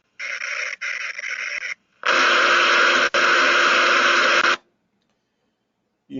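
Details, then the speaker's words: Hydraulic directional control valve heard through an ultrasound probe: bursts of hissing crackle continue after the valve is supposedly shut off instead of a clean cut-off, indicating internal leakage. "but the important thing was the crackling that happens after its supposedly shut off that that's your internal leakage"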